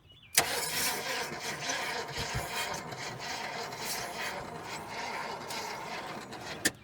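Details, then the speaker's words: 1972 GMC 1500 after sitting about 30 years, timing roughly set and gasoline primed: engine cranks sluggishly and unevenly without catching because the battery is nearly dead; a jump pack then spins it faster. "Bantry is about dead, fellas. Yep. I got Sir Jolly hooked up. Let's see if that's going to help us out any at all. A hole. It's turning over faster."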